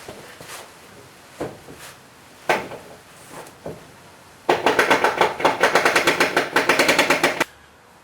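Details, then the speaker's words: Nissan Patrol GQ Y60 after installing LOKKA Lock Right automatic diff locker, wheels rotated in opposite directions: a few loose clicks, then fast even ratcheting about five a second; locker working normally. "el forward and as you do so you should hear a clicking sound then uh you do the reverse you rotate the other one back and I take the other on forward and again you should hear a clicking sound"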